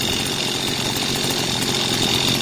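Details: Mitsubishi shoulder-mounted gas brush cutter engine after full overhaul (prior failure blamed on lacking engine oil), throttle cable play set to 1–2 mm: steady high-pitched buzz at even speed without stumbles or rattles, normal running.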